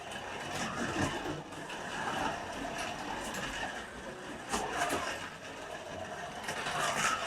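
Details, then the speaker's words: Scalextric Ford Anglia 105e Broadspeed slot car after fixing its rattling interior, running on track: light, even whirr from the small motor with no rattle or buzz; changed from a cheap rattly toy sound to a smooth-running model. "This has gone from sounding like a little cheap, rattly toy car to sounding like, you know, a nicely made, smooth running model."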